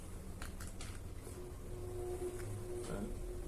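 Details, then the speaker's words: Arno Turbo Silence Force 40cm fan that is noisy and sticks at switch-on: faint irregular ticking, then a steady hum with rubbing as it spins up. Excessive shaft end play; cause may be the shaft or the fan's spacer washer. "A parte do eixo não tem folga pra cima nem pra baixo. A folga dele só é pra cima, pra baixo, pra frente e pra trás. Gente, pode ser o eixo, pode ser a argoela de distanciamento do ventilador."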